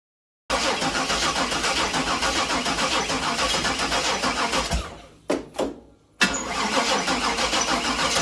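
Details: Chevy Nova start after setting number-1 timing and installing the distributor and cap, with coolant and oil filled, before timing-light adjustment: cranks and catches at once, busy idle dips near stalling then recovers; normal start and idle.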